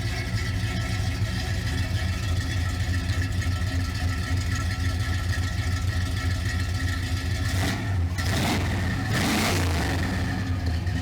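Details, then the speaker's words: 1970 Pontiac Grand Prix SJ V8 idling at first startup, warm, now louder with headers. Even exhaust burble, then two quick throttle blips that rise and fall cleanly. Normal, healthy exhaust note. "There's the exhaust, got some nice little sound to it. It's a little bit louder now that we got headers on it. I think it sounds really nice."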